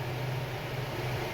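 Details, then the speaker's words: Chevrolet Gentra after an overheating repair with a new water pump: the radiator fan starts on first speed at 96 °C at idle without throttle, a smooth steady rush of air and low hum with no rattle, and coolant temperature drops 2 degrees. Normal operation, problem solved. "Ventilyator o'zi 2 gradus qaytyapti. Xudo xolasa Gentramizni muammosini hal qildik."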